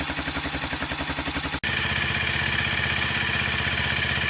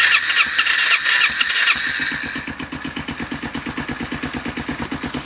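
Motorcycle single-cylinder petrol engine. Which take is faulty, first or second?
second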